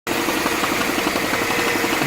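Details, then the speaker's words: 2010 Mini Cooper Clubman idling: quick regular knock, about seven or eight beats a second, same rhythm visible in the drive belt tensioner; timing chain tensioner and water-pump friction wheel already replaced, friction wheel vibrates. "have a knocking noise going on. You can see a little bit of the same rhythm in the tensioner on the drive belt."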